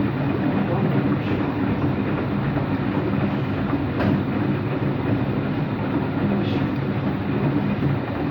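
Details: Washing machine on rinse and spin with an empty drum: deep, steady roar and droning hum that doesn't settle; owner suspects both the motor bearing and the drum bearing are bad, no leak seen.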